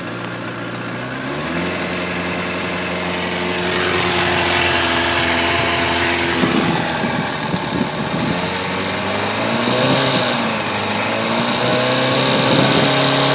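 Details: 2011 Kawasaki ZX-10 with 4000 km, chattery metallic rattle at idle and around 4000-4500 rpm; cam chain tensioner rattle, gone after the tensioner was replaced.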